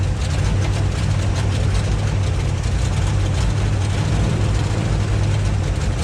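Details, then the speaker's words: 1958 Chevy Biscayne first running after years of neglect: heavy low idle with an uneven, lumpy beat; runs rough, owner plans to check firing order. "well what says you did you got the old pig running we do and it runs rough at least for my area it's quiet too like really quiet"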